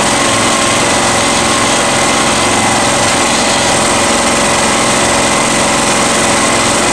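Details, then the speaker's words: Honda EX1000 generator (1000 W max) after carb cleaning, heavily loaded and set at high idle: steady, high-pitched, fast buzz with no dips or hunting; owner says the idle is way too high and needs lowering slightly. High idle under heavy load. "Something I don't mention is the engine is idling way too high. It needs to come down just a tiny bit because it is going a little too fast."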